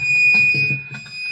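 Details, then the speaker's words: Fake Buckethead Les Paul through a 5150 Iconic high-gain amp and PV 430A slant cab: sustained piercing high-pitched feedback squeal over plucked notes from sitting in front of the amp. "So, you can hear off the off the rip immediately. You can hear that horrible squealing sound. It's also cuz I'm in front of my amp."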